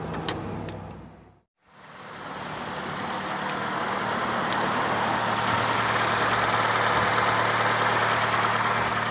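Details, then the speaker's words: 2008 Nissan Rogue after starter motor replacement: brief crank, short pause, then engine catches at once and settles into a smooth steady idle; normal crank and start. "starter has been replaced and the vehicle starts right up"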